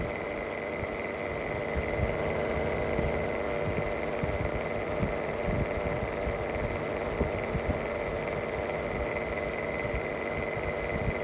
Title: Bad bearing mistral exhaust fan longer video